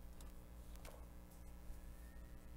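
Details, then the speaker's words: Samsung 3.5-inch drive from an Apple Time Capsule, plugged into a Mac for data recovery: a low, steady hum of the platters spinning up with a few faint head ticks and no clicking or grinding; it sounds healthy. "you can hear the drive spinning that's a good sign"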